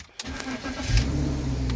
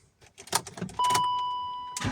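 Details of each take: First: BMW E53 X5 after replacing a fuel pump that intermittently failed to run, causing no-start or stalling: starter catch, engine fires and settles into a steady low idle; starts cleanly, fuel pressure now normal. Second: BMW E53 X5 cranking with fuel in the tank: starter turns the engine in quick even pulses for a couple of seconds and never fires, warning chime throughout; no fuel pressure from a failed fuel pump under the seat.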